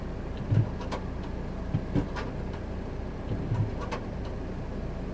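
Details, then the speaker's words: Fiat Punto Dualogic automated gearbox, code P060C on gearbox ECU, after clearing codes and failed relearn: quiet idle broken by sharp clunks and brief scrape as gears engage, harsh grinding engagement, worse than before. "so hopefully you heard that was engaging now he is really harsh yeah is even harsher than before but you heard the gearbox grinding so the adaptation failed basically"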